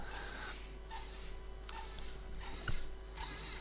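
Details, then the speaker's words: Fischertechnik pneumatic hand compressor, black-head 8:1 motor. Motor whirs slowly in uneven surges, speeding up and slowing almost to a stop; poor compression results. Cause unknown, motor replacement considered. "It is running quite slowly, to be honest. And the question is why? It is not running constantly at all."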